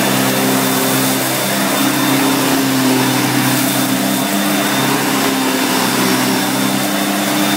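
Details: 1990 Electrolux 616 Electronic (Z616AE) vacuum cleaner, bought used and cleaned, running during edge-cleaning test: steady even motor hum, constant whine and airflow rush, no rubbing or rattle; motor runs really good.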